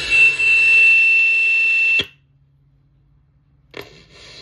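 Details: Analog radio on the 25-metre band with antenna connected self-oscillates: a steady high-pitched whistle over hiss that persists after power cycling and cuts off abruptly only when switching bands and back.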